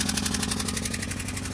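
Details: Citroën C2 1.1 petrol with vibrations, engine noise and lack of power: an uneven, lumpy idle with a sharp repeating puff and chuff, a misfire from a spark plug blown out of the cylinder head.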